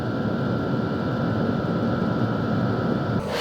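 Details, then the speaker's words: Sunster toolbox diesel heater heating (about 13–24 W): steady soft rush of air with a faint fixed tone, and the fuel pump clicking heard while priming has gone, barely audible close to the vent; normal running. "I've noticed I'm not hearing the clicking anymore. If you get really close to this vent, you can just barely hear it."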